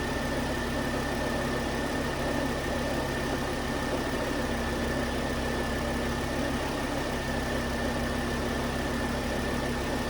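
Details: 2009 Volvo S40 T5 AWD R-Design, flood-damaged Copart rebuild, start after a failed, partly melted alternator idler pulley was found: smooth, steady idle with a faint constant high whistle in the background, no misses or knocks; engine running normally.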